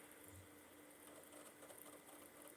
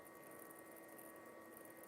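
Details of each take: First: Xbox 360, later revision with an HDMI port, unused for at least a year, reading a Far Cry 4 disc: quiet, steady, fairly loud whir with faint regular ticking as the disc spins. Normal disc drive spin. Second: Xbox 360 powered up after at least a year unused: steady airy fan rush with a thin constant whine, fans running hard; cause unknown.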